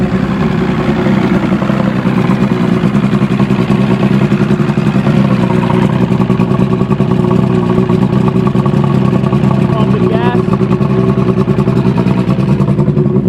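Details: Evinrude Starflight 100hp V4 two-stroke outboard on mixed gas, just started on choke: crisp rapid firing staying even through throttle blips, no misses or knocks; runs healthy.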